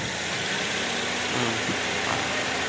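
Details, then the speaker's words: Toyota Vios gen 2 after cleaning dirty strainer, oil pan and oil pump strainer that starved the timing chain of oil; quiet steady idle, smooth hiss, no tapping or rattle, showing the chain itself was fine. "hindi chain hindi chain kita mo Tahimik siya kay kung chin yan nandon pa rin dapat ang tunog"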